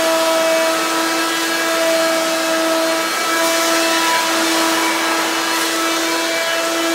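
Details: Hoover Quik Broom II S2141 stick vacuum damaged in shipping; very loud, steady high whine with no low end and no pitch change, louder than an S2095; owner unsure if the shipping hit unbalanced the motor or broke the fan.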